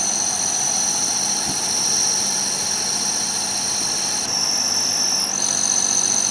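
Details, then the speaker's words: Old Eumig dual-gauge 8mm projector after servicing the transport mechanism and shutter shaft, run in reverse, which previously stuck: smooth, steady high whir with no knocks, pitch dropping as speed is turned down from the fastest setting of 24; normal motor run. "Swit it on backwards see it was certainly sticking on backwards before and again that seems to run quite nicely"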